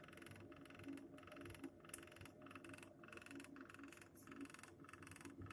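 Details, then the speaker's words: Steady pump hum with a rough, croaky knock about twice a second from the circulation pump of a new Navien Smart Tok 24K boiler, fan not running. The knock stops when the pump is switched off; system pressure is normal. "Слышно стук насоса. Если выключить, стук прекращается."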